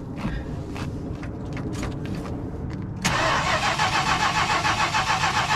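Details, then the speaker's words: 1977 Chrysler Town & Country wagon with a 440 V8, long abandoned: strong, even cranking about three and a half beats per second that never catches; healthy crank but the engine seems to be getting no fuel. "I don't think it's getting any gas. No, but you hear that crank? It's a healthy crank."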